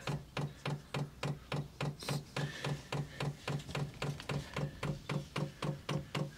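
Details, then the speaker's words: 8 kW Chinese diesel heater being set up, tank filled, pump primed manually: steady, sharp, even ticking at almost four clicks a second, speeding up later; normal fuel dosing pump priming. "There we go. You can hear it clicking away. So that's just priming the pump."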